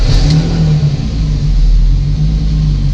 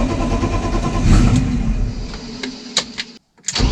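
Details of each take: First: BMW E30 restarting after shutdown and holding a strong, even rev with a steady deep drone and no misses or knocks, confirming the ECU connector glitch is cleared; healthy running. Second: BMW E30 that cranks but won't start: the starter turns in two bursts with a steady churning rhythm and the engine never catches. Owner believes there is fuel and suspects the fuel pump isn't switching on.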